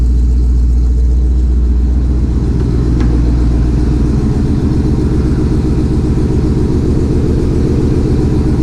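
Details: 2020 Shelby GT500 Mustang V8 after a Whipple 3.8 supercharger install, idling while warming toward operating temperature: deep, even rumble with a steady beat and no knocks, ticks or squeals. Normal, smooth idle.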